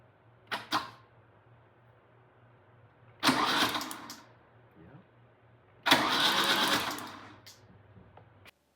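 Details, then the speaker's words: 1997 Lada Niva 4x4, 1.7L fuel-injected four-cylinder parked 11 years, spark plugs out, cranked on the starter: a short click, then two spells of smooth whirring with no binding; engine turns freely, not seized. "The first time there's a bit of a click, and then after that you'll hear that the engine does actually spin over."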